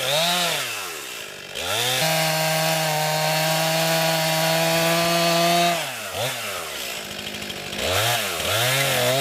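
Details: New 50cc chainsaw, about ten pounds, cutting on a cold day: strong steady high scream holds its note under load through the cut, crisp revs either side. Owner finds lots of power for 50cc; normal cutting.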